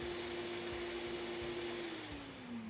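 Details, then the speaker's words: Carico Clean Machine steam cleaner with steam off, vacuum stepped from high to lower to low speed: smooth, even motor hum whose mid tone settles lower at low speed. Normal vacuum motor running on low speed. "we'll hold the button to change the speed now we're on high speed lower and low speed"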